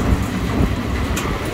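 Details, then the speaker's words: Restaurant vent hood exhaust fan with new 208/230 V three-phase belt-driven motor, legs drawing about 3.3–3.4 A: loud steady low rumble of air and motor, even drone, no knock or squeal; motor good, normal running. "this motor is good to go"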